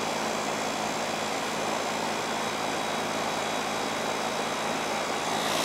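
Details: Goodman outdoor AC condenser during yearly maintenance with gauges attached: even, smooth fan rush with steady low hum, no rattles or squeal; running normally, charge checked within range.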